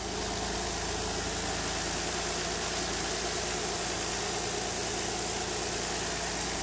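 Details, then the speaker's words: 2003 Nissan Altima VQ35DE after timing chain tensioner repair and timing verification, alternator disconnected: steady, smooth idle with even hum, no ticking, rattle or hesitation; engine healthy. "hey no ticking no nothing your uh alternator light is on because the alternator is not hooked up but it running it's purring like a kitten"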